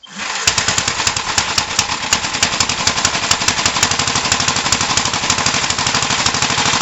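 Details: 1968 Gravely C8 single-cylinder after machine-shop cylinder work, oiled rings, and magneto points cleaned and adjusted to fix no spark, test run: rapid even popping exhaust beat, no misfires; normal running.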